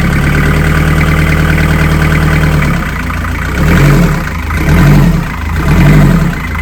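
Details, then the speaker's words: Narrowboat engine first run after in-situ repair, dead about two months: steady low idle thrum with even firing, then gentle throttle blips rising and falling smoothly; healthy. "This is the first time we've heard the engine."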